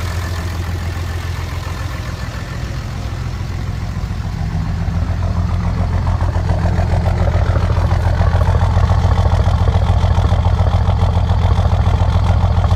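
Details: 2005 Ram 2500 5.9 Cummins diesel with misfires and skipping on cranking: deep idle with heavy, uneven chuffing a little over three a second; excessive blowby, rebuild found low compression and cracked rings on 3 cylinders; owner suspects remanufactured injectors.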